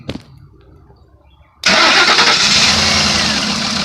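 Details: 2005 Lincoln Navigator that lost power after a hard bump over railroad tracks, no crank with the key but starts with a jumper wire from battery positive to the starter: quiet pause, then it catches and idles steadily; cause suspected, not confirmed.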